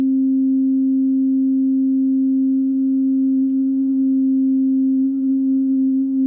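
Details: Oberheim OB-8 after voice-board rebuild with new capacitors, trimmers and resistors, VCF calibration at middle C. A pure steady tone held without wavering sits slightly off C. Filter tracking out of calibration; VCF volts-per-octave trim needs adjusting.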